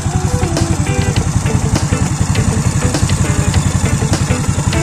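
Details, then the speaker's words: Scooter with a loaded engine and an engine cover, idling: a low, even putter with no loud camshaft clatter. It sounds like a stock engine, quiet and healthy. "Pero ariyo mga kabrando, talagang stock ang tunog, hindi mo mapagkamalan."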